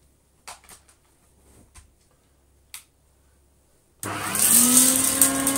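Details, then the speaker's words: Retro Electrolux 504 vacuum cleaner first switch-on after reassembly, worry about the suppressor exploding: handling clicks, then the motor spins up with a smooth rising whine to a steady high pitch; no explosion, brush roll spins smoothly. "Nope, it's not. And the brush roll source of spins. It's lovely and smooth. Brush roll spinning very well."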